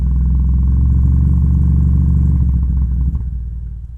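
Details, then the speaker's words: Miller & Kreisel MX-70B powered subwoofer, no input connected: loud steady ~30 Hz throb with buzzy edge, then fading; amp oscillating, changes with low-pass adjustment, suspected high-ESR capacitors fluctuating op-amp supply voltage, or dirty pot. "It's breaking into oscillation. So even if I have the MP3 player disconnected, I still have probably about a 30 hertz oscillation."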